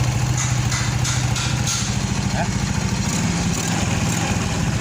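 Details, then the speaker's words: Shogun 110 motorcycle with DC ignition (battery and regulator dependent), restarted after the ignition unit ("VDI") was diagnosed faulty and spark was confirmed: steady even idle putter with regular firing pulses, no misses or knocks. Normal idle. "Oke, sekarang sudah hidup. Berarti analisis kita tepat dan tidak meleset."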